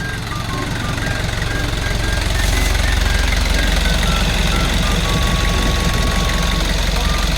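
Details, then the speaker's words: Kia Bongo Big Eye diesel with electronic pump, after a no-start fix: even, steady clatter at a settled idle, about three knocks a second with no misses or extra knocks; healthy idle after repair. "So yun lang yung nakita nating diperensya niya guys. Ah goods na siya. Goods. Okay. Lalarga na siyang unit"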